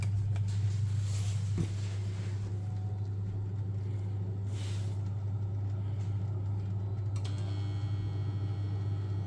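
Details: Vokera combi boiler after an ignition-failure repair, including clearing a clogged condensate trap: steady low burner and fan hum with no clicking, surging or cutting out; lit and running normally.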